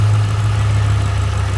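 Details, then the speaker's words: Ford 4.6/5.4 3-valve V8 after replacing the driver-side VVT solenoid (P0022 correlation, misfire): smooth, even low idle with steady hum, responsive, no ticking; normal idle. "nice and responsive sounding good what do you think Jasper what do you think Buddy I don't hear any ticking"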